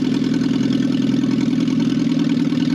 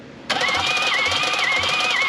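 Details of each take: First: Barn-find 1968 BMW 1800 being revived after sitting: steady, even idle with a constant low tone and no knocks or misses; runs smoothly. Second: 1968 BMW 1800 barn find, compression test: steady starter cranking with an even chug about twice a second and a whirring tone. Readings of 75, 80 and 90 psi were low, plus one odd 170 on cylinder three.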